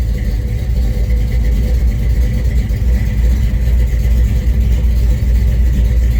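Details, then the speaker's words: 1971 Chevrolet C20 small-block V8, just timed: deep, smooth, even idle burble, no miss or stumble; normal, well-tuned idle. "Going to fire it up and show you. Listen to what a finely tuned small block sounds like. That is fucking magic."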